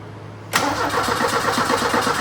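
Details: 1984 Ford Mustang SVO, turbo four-cylinder, 5-speed manual: starter cranks in a quick, even rhythm without firing; the problem came down to fueling, and bad old gas was drained and replaced.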